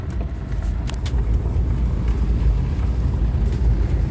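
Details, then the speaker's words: 2005 Subaru Forester on road test over rough farm ground after rear sway bar link replacement: smooth low road rumble with no clunks from the rear; earlier clunk gone, though some lateral arm bushings are starting to wear. "yeah back end's quiet as a mouse now"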